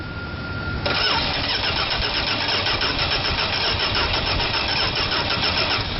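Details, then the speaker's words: 1971 Dodge Coronet being revived: steady, fast cranking churn with no firing that never catches. They suspect the gas is way too old. Cranks but will not start. "all right the gas is probably just way too old ready go ahead"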